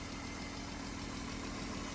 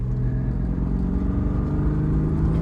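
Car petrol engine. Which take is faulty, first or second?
first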